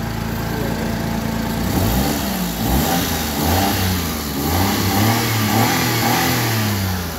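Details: Suzuki Alto with a crank-no-start fault, after fuel injector cleaning, fuel pressure checks and a new spark plug: small engine idles steadily and picks up cleanly through a few throttle blips without stumbling; fixed and running.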